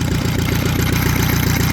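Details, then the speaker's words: Saxon motor car engine idling with a rapid, even, rattly whir from the front end that sounds like timing gear noise. Owner plans to take it apart later to find out what it is; cause unconfirmed. "all right that'll be it for this one with all that noise in the front end of this motor I'll probably take it apart later and we'll check that out and see what it is but for now it"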